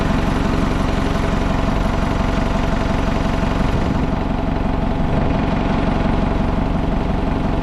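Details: Old Hitachi excavator diesel, abandoned possibly over 10 years, started: steady idle at about three even pulses a second, holding without stumbling or dying; sounds healthy.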